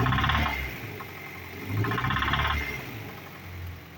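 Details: Honda CR-V RD1 2000 with B20Z2 engine: uneven idle with a dull knock in loose bursts about every two seconds; knock at idle appeared recently, cause not pinned down; owner ordered a contract engine.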